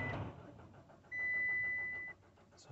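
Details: Citroen C-Crosser 2.2 HDi diesel cranks steadily but will not start; scan shows engine speed signal fault P0336, failed crankshaft position sensor.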